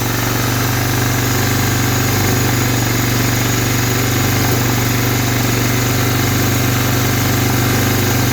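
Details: 1985 Honda Big Red 250ES single-cylinder, first start after carburetor rebuild, fed from a gas bottle: steady, even idle at about four beats a second with no misses or surging; runs smoothly.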